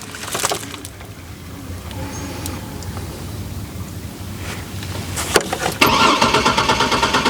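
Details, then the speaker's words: Chevrolet Trailblazer sat five years: starter cranks steadily but never fires; fuel pump heard priming, runs briefly with fuel in the intake, so ignition works and fuel is suspected not reaching the fuel rail. "we know it ain't starting right it's cranking when i put fuel into the intake it fires it actually runs for a second if you give it enough fuel so that tells me the ignition system is wo"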